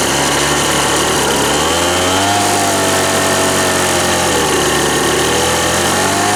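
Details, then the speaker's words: Old Ryobi RSV 3100e two-stroke leaf blower, both carb mixture screws seated then backed out two turns: buzzy revving with wandering, unsteady pitch never settling; weak, owner thinks too much fuel, blows almost nothing. "tourne pas ce qu'on a soufflé là on a rien"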